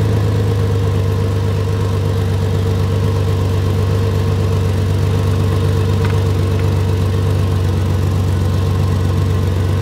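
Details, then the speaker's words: 2004 Ford Ranger idling, microphone held at an exhaust leak just ahead of the flex pipe; steady puttering "blah blah" puffing about four per second as unmuffled exhaust escapes, confirmed by soapy water; exhaust leak, later temporarily patched. "so basically what's going on is exhaust is able to escape right in this area right here and it's kind of causing a puttering kind of blah blah blah blah blah kind of noise"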